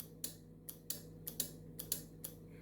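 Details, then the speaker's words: Test-board circuit of battery, switch, relay and series/parallel bulbs, after the relay's missing ground was fixed: six crisp, evenly spaced relay clicks over a steady low hum as the circuit switches on; normal relay operation. "so you hear a click and then the whole system this whole second now is functioning"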